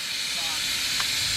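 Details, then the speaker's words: C6 Corvette nitrous system install, bottle opened to charge and test: sharp steady high gas hiss with engine off, nitrous leaking at a fitting. "yeah it's just this fitting for the feed line um coming out of the regulator"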